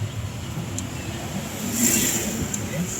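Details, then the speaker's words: Honda City after repair for steering noise and clunk over potholes: only steady tyre and road hum over bumps, no knocks or clunks from front suspension. "Ayan 'yung mga ganng bagsak 'di ba? Akala mo sira 'yung Pero ngayon wala kang marinig."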